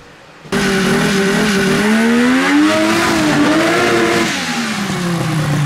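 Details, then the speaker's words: Polaris XLT 600 two-stroke snowmobile engine in a mini Baja Bug, after engine fixes: crisp note rises and falls cleanly with the throttle, no misfire or stumble, running well. "I just wanted to see how well it's running now that I did those changes, and it's running pretty good."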